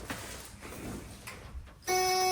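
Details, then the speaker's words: 1969 Buick Skylark during manual swap, after fixing a bad battery terminal ground: steady even key-in-ignition warning buzzer starts abruptly and holds, working normally; engine not yet started. "Key buzzer, so that's good."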